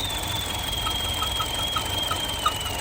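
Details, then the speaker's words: 2012 Chevrolet Cruze, noise mainly in the morning when cold: steady high whistle with rhythmic squeaks over the idle, air sucked past a ruptured PCV membrane in the valve cover; fix is replacing the valve cover. "então aí ó o barulho que dá exatamente isso então se você tiver sofrendo aí com Cruze dando o mesmo problema já fica a dica aí é fazer a substituição dessa tampa"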